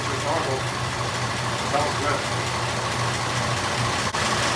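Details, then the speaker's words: 1926 Oakland antique car, first run in 75 years, after finishing the fuel and exhaust systems: even, steady idle with no knocks or misses after about 10 minutes running on its own fuel system; plugs clean. "i think our fuel system is functional it's been running about 10 minutes now so uh let's put this in here idle i think it's doing great"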